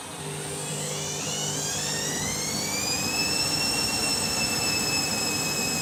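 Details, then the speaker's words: Candy washing machine, overloaded; motor whine climbs for about three seconds then holds one pitch as the drum labours; suds lock stalling the spin. "You can hear it clogged up in the sublock, can't you? It's there, the sublock."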